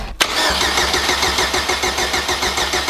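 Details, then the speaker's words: Boosted K20-swapped Honda Civic, first start on booster pack: even starter cranking about three per second, no firing; fuel pressure rose to 42 then dropped just under 40; cranks but won't start, something missing, suspected no fuel delivery. "it doesn't sound very combustion we're missing something"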